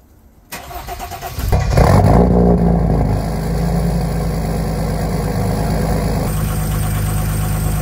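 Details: Jeep Commander swapped to a 3.0L OM642 diesel V6 from a Grand Cherokee, factory diesel exhaust with muffler: brief crank, clean catch, flare, then smooth cold-start high idle, which drops to a middle level once warm; healthy start.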